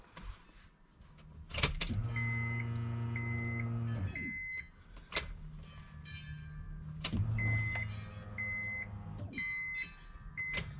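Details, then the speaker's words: Acura RSX Type S, new fuel pump assembly in the tank, tested with key-on priming before the supercharger install: two steady electric hums of about two seconds each, with chimes between, pressurizing well. Normal fuel pump priming. "it sounds like a pretty powerful palm but definitely is working i could hear that it was pressurizing really nice"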